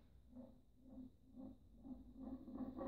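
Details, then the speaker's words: Austin A35 A-series engine pushrod rolled on a flat surface during a rebuild: rhythmic clicking rattle that speeds up as it rolls and rocks; the pushrod is bent and must be replaced. "can hear it it's making a noise and can you see the difference so you look it's rock in there that should rule there and that's how you can tell the push rod to bend"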